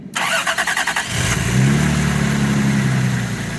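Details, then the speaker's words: Car with a completely dead battery, started with a jump starter in boost mode: eight quick, even cranking turns, then it fires at once and settles into a steady, even idle. A healthy start. "so we're going to press the Boost button little green line comes on you can already hear the cars alive"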